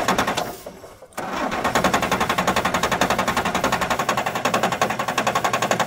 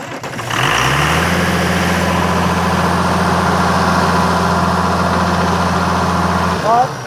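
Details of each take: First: 1997 Kershaw Klipper right-of-way trimmer diesel, smoking white: steady cranking beats nearly four a second but never catches; no-start because the injection pump fuel shutoff solenoid has no power. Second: 1997 Kershaw Klipper right-of-way trimmer diesel, oil filler cap off for a blow-by check: engine catches within a second and settles into a steady, even idle with a smooth low rumble; oil coming out of the filler but no blow-by, runs normally.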